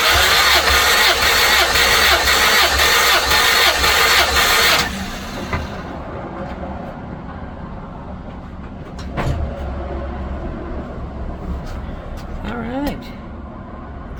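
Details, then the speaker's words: Honda EF Civic sedan compression test during timing belt work, cylinder reading about 195 psi like the previous one; starter whirs at a steady, even beat, indicating even cranking compression. "that one's sitting at about 195 as well call 195"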